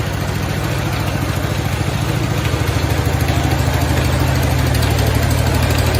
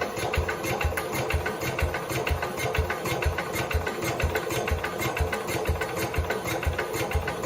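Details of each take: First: 1969 Cub Cadet 105 engine after reassembly, with the pulley no longer hammering on the crankshaft: a quick, even single-cylinder thump at about 200 beats a minute. The engine runs steadily and healthy; the earlier knocking was a deteriorating belt hitting something. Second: 1969 Cub Cadet 105 after engine reassembly, previous ignition problems, choked with power to coil; steady rhythmic cranking about two beats a second, briefly tries to fire but won't start; owner suspects camshaft or crankshaft.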